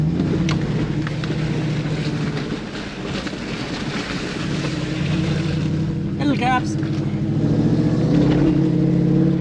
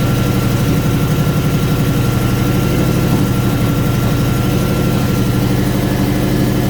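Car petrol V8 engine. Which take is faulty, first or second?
second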